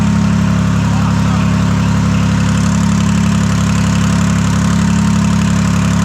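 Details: Detroit 3-53 two-stroke diesel after 25 years idle, rebuilt in 2000; reversed camshaft now corrected. Restarted to adjust the buffer screw, warmed to about 100-150 degrees, open exhaust. Deep, even rumble with a steady firing beat and no knocks or misses.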